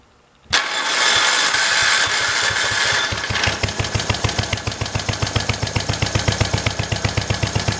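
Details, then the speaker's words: Kohler single-cylinder engine for a swap into a 1968 112, after adjustment; earlier missed when throttled up. Starts at once, settles into an even single-cylinder thump about four beats a second, no misses or stumbles; runs well. "This motor honestly runs real good. It's a good little"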